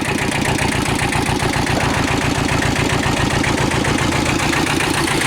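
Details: Kubota L Series (mid-1970s) diesel tractor, warm after about half an hour running, after internal oil leak repair: steady, even chug at about four beats a second, no knocks or rattles; normal idle.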